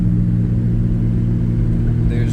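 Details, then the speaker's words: Nissan 350Z short shifter after reassembly with extra grease and tightened bolts, driving at night: only steady low engine drone, no rattle or buzz from gear lever, which previously rattled like pots and pans. "no more rattling coming from the shifter. Before that would have sounded like a jar of pots and pans."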